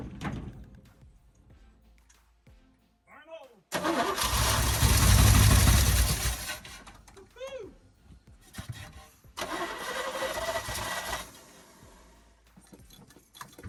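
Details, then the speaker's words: 1972 Chevy K10 4x4, 350 V8, single-pumper carburetor, sitting 20+ years, fuel pressure good: catches in uneven bursts, surging and dying, not wanting to idle, acting over-fuelled; carburettor over-fuelling suspected. "It sounds like it's acting like it's over fueling, not wanting to idle."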